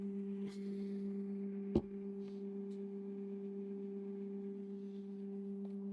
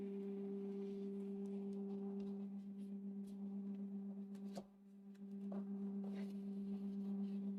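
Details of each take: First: Creality K1C 3D printer running its resonance calibration: loud, steady hum at one low pitch with a clear overtone as the axes shake; this is normal, though loud. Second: New Creality K1C 3D printer at first power-up, resonance calibration running: steady, loud pure hum at fixed pitch with a fainter higher tone, not following movement; loud startup calibration hum.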